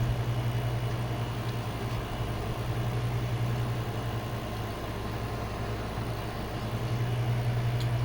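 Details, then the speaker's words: Old ceiling fan, previously fine outdoors, blades soaked: on low speed only a steady electrical hum, blades stalled and won't turn even when nudged; medium works. Cause not confirmed. "all right so it still works here's low stalls I give it a little oh"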